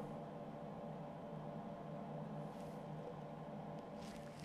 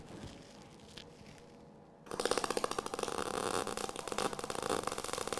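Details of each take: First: MIG welder with voltage too high and wire speed too low: steady hiss and hum of shielding gas from the nozzle with almost no frying-bacon crackle, giving wire burnback. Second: Eastwood MIG 175 welder: after a quiet start, a steady, even bacon-frying crackle for ten seconds: correct settings, normal MIG weld sound.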